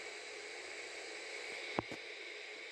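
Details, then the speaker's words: Samsung AH64-02278Y CD/DVD/cassette FM/AM player under repair, FM radio with no antenna plugged into the antenna port: steady hiss and a couple of faint clicks, only static, no station received. "and there will be static because there is no any antenna plugged into the antenna port so we need to get it work"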